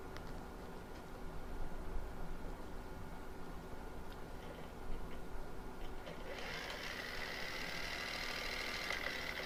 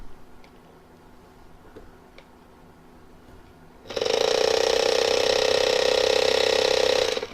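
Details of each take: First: Small brushed drone motor bench-tested with two screws removed, wired black to black: quiet, even spin with a smooth high whine, no knocks or rattles, slower than in flight; normal healthy motor. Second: Drone motor and plastic drive gear bench-tested off an AA battery, turning slower than in flight: quiet start, then about three seconds of loud harsh ratcheting grind with strong buzzing; worn drive gear.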